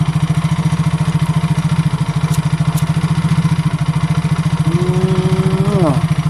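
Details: Yamaha Mio J automatic scooter that had lost compression from valve damage and carbon deposits, after engine repair with the ignition switch jumpered: quick, even putter holding steady with no stumbles; normal idle.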